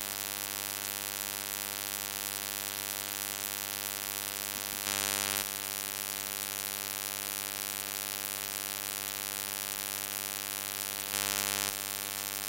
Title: shadowplay buzzing sound